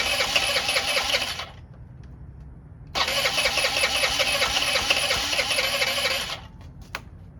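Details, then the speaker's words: Honda Elite 80 (CH80) scooter, long-sitting, before carb removal: catches and buzzes a second, dies, fires again and cuts out with no throttle response. "Yeah, I'm not sure why it's cutting out like that. Maybe this thing has some type of choke or something, and some of these have like some type of automatic choke that once it warms up, then you can kind of hit the gas, but you'd think that you would still be able to get some response out of it."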